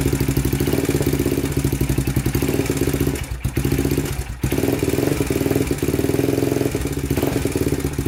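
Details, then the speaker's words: 2000 Honda 400EX with a cheap eBay piston and cylinder, after valve lash was set (0.004 in intake, 0.005 in exhaust): fast, even top-end ticking at idle remains. "all right still making that noise so we're gonna adjust the timing chain next"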